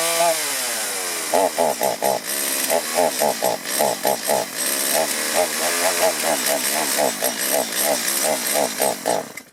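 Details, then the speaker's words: Chainsaw before carburetor tuning: revs in choppy bursts, stumbling and bogging each time the throttle opens instead of revving clean; a poorly adjusted carburetor is suspected. "That's not good. These symptoms could be signs of a poorly adjusted carburetor."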